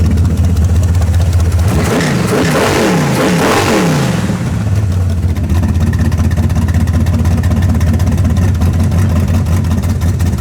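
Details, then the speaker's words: Karla's Camaro V8 right after setting ignition timing to about 24-26 degrees before advance, no pump shot: it catches quickly, revs cleanly up and down twice, then settles into a lumpy but steady idle without backfire; it started much better, a normal start and rev. "All right, timing's set. But the timing is set. Yeah, it started way better right there."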